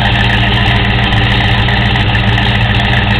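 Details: Rebuilt original 5.0 V8 Fox Body Ford Mustang, manual, cold first start of day, new clutch fan, EGR deleted: loud even V8 rumble, steady idle and smooth throttle blips, no miss, knock, noise or smoke; healthy.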